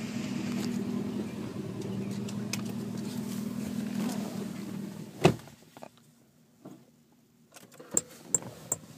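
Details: Lexus LS600hL, volume suddenly stopped working: engine hum cuts after a thump, then repeated short sharp high beeps; head unit continuously beeping, cause unknown.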